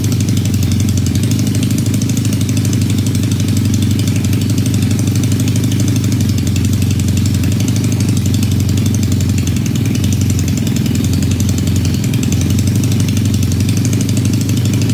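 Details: Supercharged 1968 Honda CL175 land speed bike with Roots blower, after clutch swap: steady even single-cylinder idle with firm regular pulse for fifteen seconds; smaller blower pulley improves idle.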